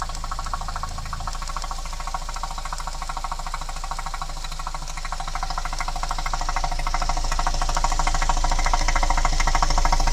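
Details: 2010 Citroën C4 Picasso I, 1.6 THP 150 turbo petrol (EP6DT, 5F04). Fast regular ticking at about three per second over a steady engine note, rising as revs climb. Abnormal engine noise, cause unclear.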